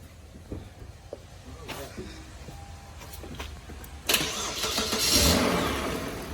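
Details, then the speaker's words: 2008 Kia Sorento 3.3 V6, towed in as a no-start, jump-started: quiet clicks, then the engine catches at once and settles into a steady idle. A clean, healthy start. Cause found: bad starter. "Boom! It's alive! We get a lot of these."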